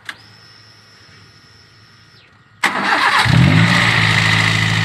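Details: Fuel-injected car that had a high idle, started after the PCV valve was replaced with a new one: a short crank, then it catches at once and settles into a steady, even idle with no hunting. Idle is now normal.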